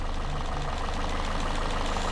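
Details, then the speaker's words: Citroen C3 after cylinder head rebuild with new cam belt, first start: steady, even idle with smooth low hum and light regular top-end ticking, no misses, no leaks; engine sounds healthy. "started first time normal noise from the top everything sounds good nothing's leaking"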